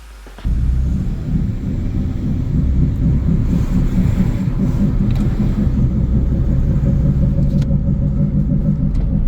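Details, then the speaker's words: Car bought to flip, driving at about 40 km/h after being driven an hour like this: loud, steady low drone, barely changing with speed; owners suspect a rotor, something wrong at one wheel. "Yeah. I drove it for an hour with this sound. I'm only going 40 k's. Yeah. Sounds like a rotor. Definitely something wrong with the wheel right here."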